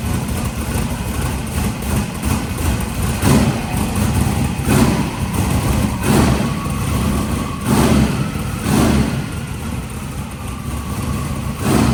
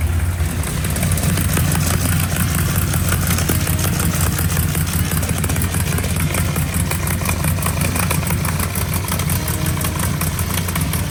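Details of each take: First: Engine just started after work, with smoke from one side that the owner can't explain, possibly residual oil in the turbo or header. Deep, steady idle with soft blips and no knocks or ticks. Normal idle. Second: Mark's 1955 car, first start since its V8 was reinstalled: loud lumpy idle with a sharp fast puffing tick over the exhaust note; suspected hole in a header tube causing an exhaust leak, not confirmed.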